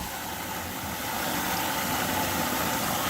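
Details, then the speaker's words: Zoeller M98 sump pump pumping out a backyard sump pit through 1.5-inch discharge: even, unbroken hum with water rushing through pipe, no knocking or rattle; pumps water quickly. Normal sump pump operation. "oh yeah you can hear it you see how powerful this m98 is it just takes all that water out pretty quick we'll pump all that down"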